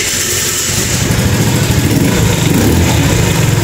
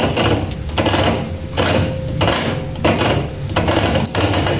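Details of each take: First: Kuba Valentino 50cc scooter after rocker arm (valve) adjustment, previously slightly loose and tapping: idles with a quick, even putter, higher pitch, running smoothly. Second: Kuba Valentino 50cc scooter engine running, losing top speed (now 50-60 km/h instead of 70-80): rhythmic gritty grinding bursts about 1.5 a second from inside the engine, traced to loose stator screws.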